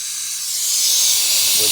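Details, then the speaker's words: Chevy Cruze 1.4L boost leak test, intake pressurized through the brake booster vacuum nipple: a steady, high, airy hiss of air escaping at the throttle body joint. Fix is tightening the clamp until the hissing stops. "there the throttle body and then what you do is take your flat head ratchet tighten that until it doesn't hiss anymore"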